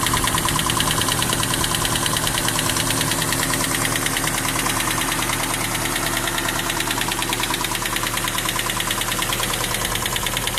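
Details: 1992 Toyota Hilux with a 22R four-cylinder petrol engine idling steadily with a light, regular clicking running through it; owner does not know the cause.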